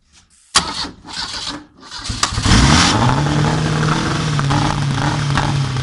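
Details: Volvo Penta AQ145 engine cranks and catches, then settles into uneven, lumpy idle with stumbling beat; misfire.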